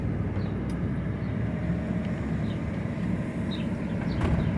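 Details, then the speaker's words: 2006 Ford F-150 4x4 that made a driver-side noise when driving or turning, cruising with vacuum applied to the hub: only a steady low road rumble with no whirring or grinding; the front axle noise is gone. "Miren, ya no se escucha nada."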